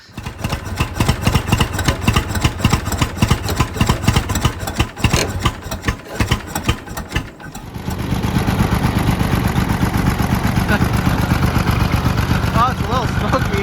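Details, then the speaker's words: Revived Oliver 70 tractor with compression only on some cylinders (originally just two running, now picking up more): rough, lumpy idle with uneven low thumps that smooths slightly under clutch load; misfiring on a few cylinders. "I think we're only running on three trying to pick up four but tested the compression and uh only three really registered The Other Well four were dead two were running but we picked up more than two now"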